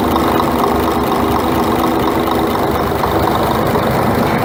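A loud diesel idle with a steady, rapid knock riding on it, even in rhythm with the engine. It is a knock at idle, cause unknown.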